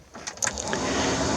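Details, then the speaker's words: 1982 Triumph TR7 V8 cabin blower fan: after a few switch clicks it spins up to one steady, fairly strong whir; only speed three works, speeds one and two dead, illumination also failed; switch to be removed and inspected. "I don't have speed speeds one or two. I only have speed three"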